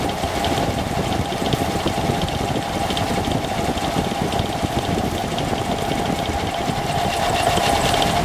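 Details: Engine at idle: it idles steadily with a dense, fast clatter riding over the note; clearly abnormal, but the source can't be pinned down.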